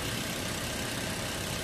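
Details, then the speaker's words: Toyota Vios after cleaning a very dirty throttle body, solenoid and filter that made idle drop and engine noisy when hot: steady even smooth idle, no knocks, hunting or dips, former engine noise gone; normal idle. "Ay, nawala yung ingay ng makina, no? Nawala na. Nawala lang hinig, no? Nawala na rin yung hinig niya."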